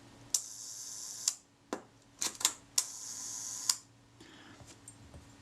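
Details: Kodak Retina IIIc after shutter service for sticky shutter, one-second speed: crisp click opens, steady buzzing whir about one second, then clean close; times evenly, possibly slightly fast, pending speed test.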